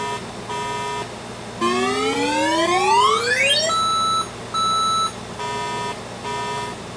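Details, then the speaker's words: 1983 Atari Crystal Castles arcade PCB on the bench at power-up with a garbled screen: a looping beep code of two high beeps then five low beeps, indicating a self-test fault. "this thing was beeping high twice and then low five times over and over. Two high beeps and then five low beeps."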